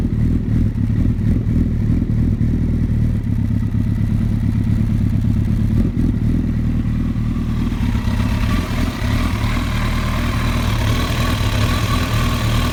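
Engine idling unevenly with a lumpy, clattery beat that wavers in rhythm. A rough idle with no obvious single cause.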